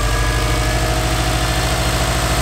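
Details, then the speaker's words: Subaru WRX, started after sitting about 4 months, fuel pump primed first: steady even idle with a smooth low rumble, no misses or knocks; normal idle. "It's been almost 4 months of it being absolutely in this spot without moving, and it started out like a dream. Absolutely great."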